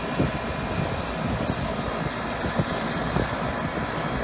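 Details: York outdoor AC unit after replacing a bad capacitor, cooling again: steady low mechanical hum with fan whoosh, running normally.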